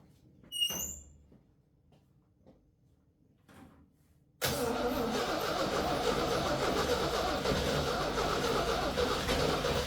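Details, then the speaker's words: 1966 Jeep CJ5, long-sitting, cranking with a little gas poured in after rewiring ignition with independent power wire to coil (short fixed): quiet clicks then steady rhythmic crank about 3.5 beats a second, nearly firing before it starts; plug wire broken. "She's close. And just like that, she's running."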